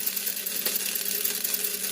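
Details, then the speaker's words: Old 3-volt toy steam engine after repair: light, even high whir from the small motor after oiling and penetrating oil cured a squeak; it now spins freely with no catch. "d solder them so here we go it runs like probably it did the day it was made I oil everything um the little motor I oil it I put a little penetrating oil down in there cuz it was a little squeaky got that sounding good"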